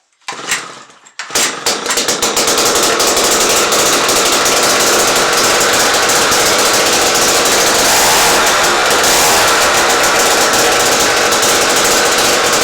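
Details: 1953 ice auger two-stroke, after tracking down a spark issue, with fresh gas and choke on: a few pulls, then it catches and settles into a loud, steady, high-revving buzz without stumbling. Normal running.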